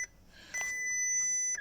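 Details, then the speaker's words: 2012 VW Polo 6R, possibly about 86,701 miles, abandoned three years with battery still charged; ignition switch turned with a screwdriver, fuel pump runs, short blip then single steady high dash chime warning no key detected, no crank attempted. "Fuel pump's working. Obviously no key is detected, and we're not even going to try and crank it."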